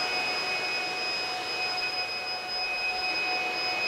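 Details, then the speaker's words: Free Supermicro dual socket 771 server (X7DWN+ board) powering on with one of its two power supplies dead: a continuous high-pitched redundant-PSU failure alarm beeps steadily over the fan rush while the machine still runs. "at least the machine is working but one power supply is broken and it's quite annoying the beeping"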